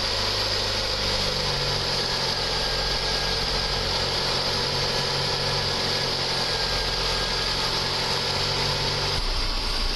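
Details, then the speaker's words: Freshly rebuilt 1.9 engine after dropped valve seat repair, new timing belt, lifters, rockers: steady even idle warming toward operating temperature around 850–900 rpm, no lifter tapping or ticking; normal idle. "it sounds good that's what I like temperature is getting up there"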